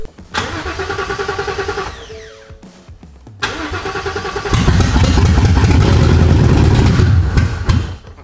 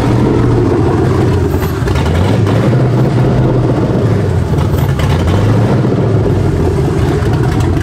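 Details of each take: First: S550 Mustang swapped with a 7.3L Godzilla V8 and MT82 transmission, first crank with spark confirmed but injectors unplugged and fuel pump not priming. Starter spins the engine in a steady rhythmic chug but it never catches; no fuel delivery. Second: S550 Mustang swapped with a 7.3L Godzilla V8 and factory MT82 transmission, first start: deep, heavy V8 rumble holding strong and steady through the revs, no knocks or misses; a healthy engine running fine.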